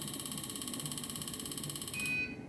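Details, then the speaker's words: Injector bench calibrating a Siemens piezo common-rail injector adapter: rapid train of high electronic beeps for about two seconds signalling calibration completed okay. "when the calibration is completed as you can see it says calibration okay"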